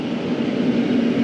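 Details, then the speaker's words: Restaurant rooftop exhaust hood fan, building in negative pressure, cold out: steady low roar with constant even-pitched hum; fan pulling hard at full speed, why it runs so hard unclear. "that one's not June Jack that one's hauling the mail I mean I don't know why we're hauling it that's that thing's like taking the biscuits to the bakery like something fierce"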